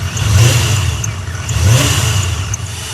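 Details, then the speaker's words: V8 idling after power steering fluid bled: deep rumble with short, irregular bird-like chirps from the belt drive; belt has a lot of play, idler pulley or a bearing suspected; accessory belt chirp. "So, a little bird in here that is chirping. I think it's either a bearing or idler pulley."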